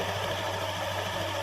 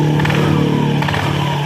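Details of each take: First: Honda Scoopy (K44) scooter after CVT repair with new drive belt, CVT cover still off: even steady idle with smooth beat, no rough rustle or scraping from the belt drive, normal idle. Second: Honda Scoopy (K44) scooter, before repair, weak power and rough CVT sound: revs then settles with a thin squeak sliding down in pitch as revs drop, from front roller area, possibly worn roller housing or loose ramp plate.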